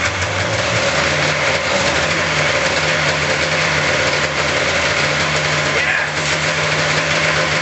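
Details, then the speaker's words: 1999 Polaris RMK 500 snowmobile two-stroke, freshly rebuilt cylinder block from machine shop, first run on mixed fuel after priming carb bowls: steady, even two-stroke drone with no dips or knocks, smoking as expected; engine running normally. "sorry about the smoke out, but that's expected with the mixed fuel. I'm happy, it's running."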